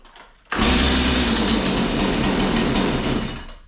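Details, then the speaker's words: Stihl MS 180 chainsaw started dead cold, trigger in, full choke down: one pull and it bursts into a high buzzing fire for about three seconds then dies; normal first catch, next step choke up one notch. "you hear the attempt it made to go that happened on one pole as i say it could take two it could take three it could take five"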